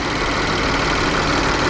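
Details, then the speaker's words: BMW N63 V8 after intake valve carbon cleaning to fix a persistent cylinder 7 misfire from leaking intake valves (plugs, coil, injector good): steady, even idle with no stumble; misfire gone. "any work engine is running fine and uh you can hear there is no misfire anymore there is no checking in line"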